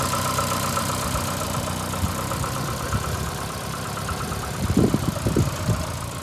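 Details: VAZ 2115 8-valve at idle: uneven with faint tapping, rubbing note and a few heavier knocks. Started after cylinder-1 head gasket blew a week ago and fluids changed; check-engine light on. Owner suspects worn valves; unconfirmed.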